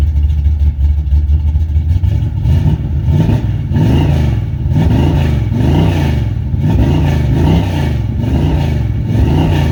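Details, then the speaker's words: 1986 Chevy C10 350 5.7 V8, after an oil leak fix, sat a while, slightly warmed up: deep rumble swells and sags about once a second, running rough; owner suspects the old carburetor needs cleaning and new plugs. "old carburetor could probably use a good cleaning and going through probably use some plugs and all in it too"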